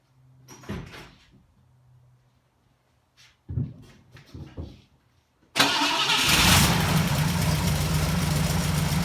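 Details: 1960 Pontiac Ventura with three carburetors, cold start at 55°F in the garage: a few cranking attempts, then it catches into a rough, rich idle; choke closed too far, flooding it, so the choke needs opening slightly.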